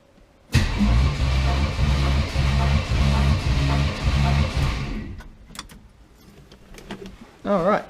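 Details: 1980 Camaro 5.7 small-block V8 on compression test after oil leak: even, steady cranking pulses about four a second, no weak beat; healthy balanced compression, readings around 151–160 psi.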